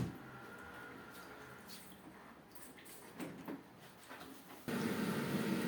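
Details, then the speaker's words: Vaillant combi boiler after repair of an F26 fault (broken gas valve wiring harness, gas not arriving): quiet clicks and ticking, then at about five seconds the burner lights with a steady, even roar. Ignition is successful. "kombimiz çalıştırdık ateşleme başarılı"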